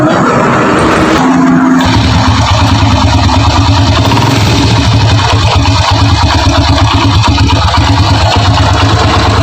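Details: Honda Grand single-cylinder motorcycle at idle after a brief blip, brought in for diagnosis: a coarse, uneven rattle from inside the engine points to worn internal parts needing teardown; the customer supplied replacement parts, yet to be verified.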